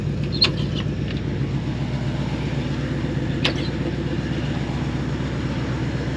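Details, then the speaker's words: 1973 AMC Jeep CJ5 idling: low even rumble with steady beat and a couple of light clicks, no stumbles or misses; running nice and strong, healthy idle. "Running nice and strong, sounds good. I don't see any misses in it, idling nice."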